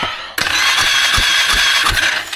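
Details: Starter cranking on a 2001 Polaris Sportsman 500 HO after restoring spark and confirming the kill switches: high steady whir for about two seconds over even compression pulses, turning over without firing; normal cranking.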